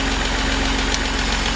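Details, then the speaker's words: Idling car, front raised and covers removed: steady rapid light tapping from a failing hydraulic lifter, heard from above the engine, from underneath and in the exhaust because of metallic resonance, so a stethoscope is needed to locate it. "Je sais pas si vous entendez bien mais ça claque pas mal. On l'entend et ben du dessous et on l'entend aussi et ben dans l'échappement."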